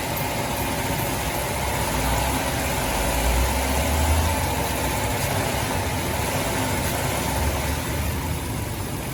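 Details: 2006 Dodge Grand Caravan 3.3L V6 after water pump replacement (leaking pump, failed bearing caused belt squeal and overheating), warm, bleeding air, dry underneath; even steady idle rumble, faint fan hiss, no knocks or misses; normal idle.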